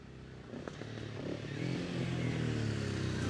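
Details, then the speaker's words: 1974 Yamaha XS500 twin, 6,000 miles, recommissioned non-runner after carbs, forks and seized front brake work; pulls up smoothly from low revs, clean even rising note, no popping or misfire: normal running. "i think you'll see for a 500 there's nearly 50 years old it absolutely flies and sounds fantastic so listen to this"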